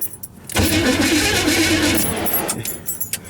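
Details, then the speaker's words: 1978 Chevrolet Silverado 20 pickup with previously seized engine freed up: starter spins the engine over freely for about two seconds with an even churning rhythm but no fire; no fuel getting in yet, starting fluid next. "it's turning over so guys what we're gonna do now since we don't got any uh since we don't have any uh fuel run into it we're just going to spray a little bit of starting fluid in there and see if it'll jump on"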